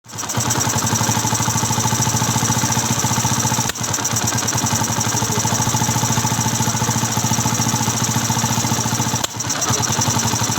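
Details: Yamaha FZ V1 single-cylinder idle with rough, uneven beat and occasional skipped or stumbling firing pulses; engine misfire present.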